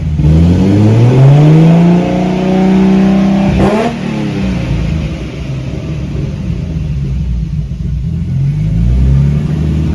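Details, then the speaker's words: Big-turbo R32 Skyline first successful start on an adjusted basemap, warming up, no boost: engine climbs cleanly through quick free revs and drops to a smooth, even idle with no knocks or misses. "this is sounds so good revving though"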